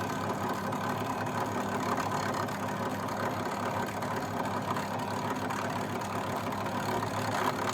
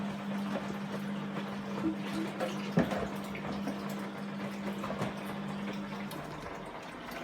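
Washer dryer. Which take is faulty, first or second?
first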